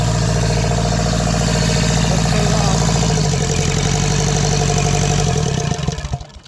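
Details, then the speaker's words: Kubota L3450 diesel tractor, sitting for years: catches and settles into an even, deep chug of three to four beats a second, no knocking, then shut off quickly because it has no coolant; it also drives. "okay we'll try one more time it starts up and runs we'll leave it like"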